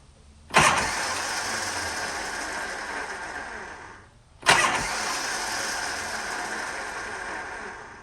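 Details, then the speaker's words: Shovelhead chopper with S&S Super E carb, in neutral with enricher on: two cranking tries, each a sharp clank then about three seconds of high whirring spin that fades without firing; owner suspects the Bendix/starter drive. "I think it's a Bendix or the starter Drive"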